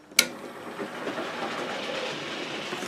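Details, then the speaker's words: Gaugemaster model railway controller fault: after switch click into forward, loco whirs up to steady fast high-pitched full-speed run with dial at 0; stops when brake/inertia switched in; unit to go back for warranty repair. "it's doing about 1,000 miles an hour. Train's going around the layout at full speed. And on the transformer, there's 0 on the dial."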